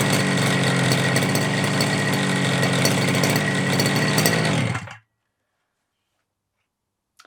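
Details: FG Marder petrol RC car, small two-stroke, run the day before, started without choke after a couple of primes, after front-end bolt fix and brake/throttle linkage adjustment: sharp buzzy steady fast beat for about five seconds, then cuts off cleanly; healthy normal running.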